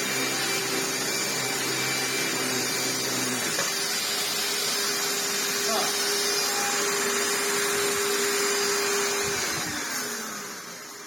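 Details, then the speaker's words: 1998 Hoover Turbopower 2 vacuum after fitting a replacement motor, running a non-genuine drive belt: steady motor whir, then about three seconds in the lower drive rumble cuts out as the belt snaps. "Oh, it's going really well until that belt snaps."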